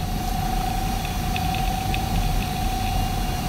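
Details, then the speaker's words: Twin Head Slim Note-486E laptop (486DX 33 MHz, 640K), estate-sale find from a water-damaged building, at power-on self-test: steady thin whine, a few faint ticks over hiss; hard drive spinning normally. "so we're going to hit the power button there and you can hear the hard drive spinning up on it and it's going through the system check there"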